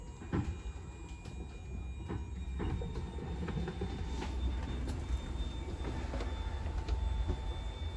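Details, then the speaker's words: 2022 Wildwood 42DL travel trailer, hydraulic slide-outs extending together: low steady pump drone with faint clicks as slides travel out evenly, motors whine when fully extended; normal operation. "Once they're all fully extended, you're going to kind of hear that whine on the motors, then your lights might dim down a little bit."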